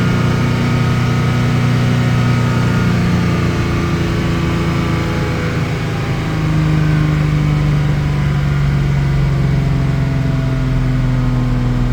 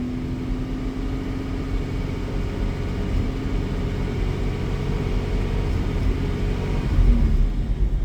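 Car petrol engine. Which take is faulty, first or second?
second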